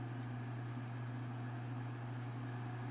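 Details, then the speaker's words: PS3 after paid reball repair, sitting at main menu; quiet at boot, then steady whirring hum with strong drone as fan steps up notch by notch and gets louder over time; fan speed stepping up. "already seems pretty quiet when it first boots up and then you'll see it starts kicking in first knotch second match"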